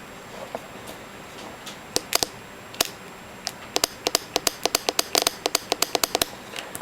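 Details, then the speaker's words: 2004 Acura TL with code P0741: transmission shift solenoid removed and bench-tested on a 9-volt battery after reading 15.7 ohms in spec, crisp sharp clicks in quick irregular bursts; normal solenoid click. "you hook these alligator clips up to the car's battery I just have a nine volt battery which will suffice so so and when you hook it up you should be able to hear the little popping sound in the solenoid"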